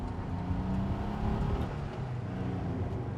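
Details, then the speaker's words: 1961 VW 23-window Microbus Deluxe, 1200cc air-cooled engine with 40 hp, at full throttle on a wet road before shifting into third: a low, smooth drone builds steadily over road hum, and the engine is healthy. "there we go pedal to the metal you can hear that nice purr and into third gear"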